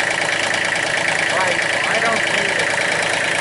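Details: 2005 Massey Ferguson three-cylinder diesel tractor, after reconnecting the high-pressure line, idles with an even, steady clatter and no misses or hunting; normal idle.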